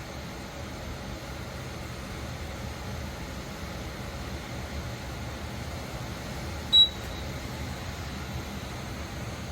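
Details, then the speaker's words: Corghi ET1450 truck and passenger wheel balancer during setup, spin started by holding both buttons: a soft, steady whir from the spinning wheel, then one short high beep near the end marking the finished cycle. This is normal balancer operation. "You're going to hold the button on the left, and then you're going to push and hold the button on the right, and it's going to start spinning, and you're not going to release this until you hear the"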